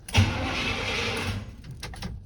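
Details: 1979 Chevrolet Scottsdale C10 pickup with a 350 (5.7L) four-barrel V8, after a burnt fusible link on the starter and fuse-block feed was repaired: a short, even starter whir of about a second as the engine turns over on the key. It is cranking normally.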